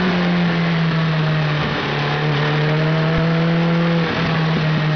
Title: Hayabusa misfires (ignition failure)